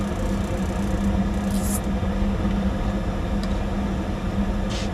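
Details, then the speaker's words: Rheem gas furnace after a stuck pressure switch was freed: even low roar and steady hum, no clicks, rattles or surging; firing and running normally, switch replacement still recommended. "Alright, clearly running pretty good."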